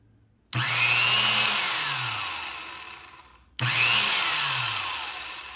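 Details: Rebuilt vintage Black & Decker 507 12-gauge sheet metal shear, first power-on after reassembly with new cord: two short bursts of high motor whir, each spinning up quickly and coasting down evenly; runs clean and healthy, normal run.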